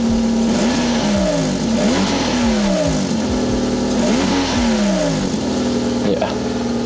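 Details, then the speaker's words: 1999 Toyota Corolla G6 (used, at inspection) idling: engine smooth with steady revs, but loud raspy idle with hollow puffing rush from a large exhaust leak under the car beneath the door, mid-pipe; needs replacing. "but the main thing is we can hear is there's a huge exhaust leak coming from under the car you can hear that sort of the sound of it just escaping through that hole it's just making that sound"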